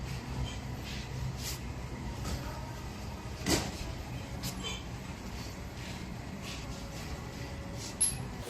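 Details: Ferrari 488 front shock absorber after repair, worked on the bench: it stays quiet with only a couple of soft thumps and no squeak. The squeak had come from the oil seals rubbing the shaft, fixed by replacing the seals.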